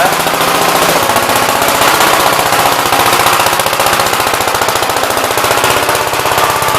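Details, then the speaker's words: Gravely Big Blue 53 L tractor single-cylinder engine after rebuild, oil pressure showing, oil leaking at oil pump: loud, rapid, even firing at steady speed without misses or knocks, sounds better than ever. Normal running. "So we actually got oil pressure. Sounds a lot better than it ever did."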